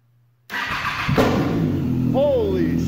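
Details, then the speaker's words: Wrecked Triumph Daytona 675 being rebuilt, first start after new fuel line and Power Commander fitted: engine catches after repeated cranking, then one sharp, loud crack over rough running from too much fuel in the exhaust. Exhaust backfire. "Wow, that was loud! Woo! Yeah, we got it! Hell yeah! Oh my god, a little too much fuel in the exhaust. Fuck, dude. backfired like a son of a bitch."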